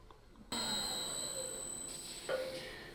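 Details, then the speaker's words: Woodturning lathe on a shaky, under-weighted stand during a finishing pass on a wet wood bowl: sudden metallic clangs and bumping as the gouge bites, not a smooth cut; lathe vibration suspected, needs more weight. "So here I'm gonna make a finishing pass to redefine the shape of it, but if you can hear all the bumping, I'm not doing a smooth cut."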